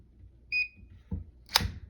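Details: FiberFox thermal fiber stripper on the second heat setting for 900 micron fiber gives a short high double chirp once, then a click as the jacket is pulled; normal ready signal.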